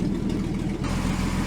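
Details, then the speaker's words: Rebuilt 1949 Chrysler 251 flathead six with Fluid Drive, first run in 18 months, warm after 20–25 minutes with oil pressure 42 and temp 160, 91,248 miles; low, steady, quiet idle with no ticks or knocks. "I mean just just listen to how quiet this thing is"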